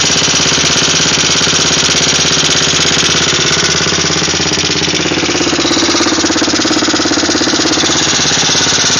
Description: my 1985 yamaha 225DX making a clicking noise while running after engine rebuild